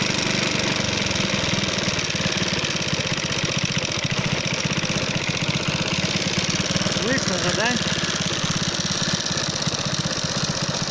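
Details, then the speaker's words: Alpha moped single-cylinder at idle, knocking after being run low on oil: hard, steady tapping over exhaust beat, revs dropping. Owner suspects piston hitting valve (80%); clutch basket or magneto also suspected; timing chain intact. "Где-то 80% информация бьет поршень об клапан. Падает обороты."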